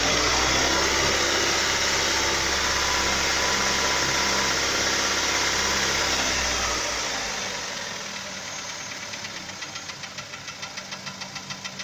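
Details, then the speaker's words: Hyundai Sonata 5 (TagAZ) Beta engine: sharp, regular ticking knock near 200 per minute appeared suddenly after a spark plug change, once a thread insert was fitted in cylinder 3; cause unknown. "Стук с двигателя произошел внезапно, после замены свечей."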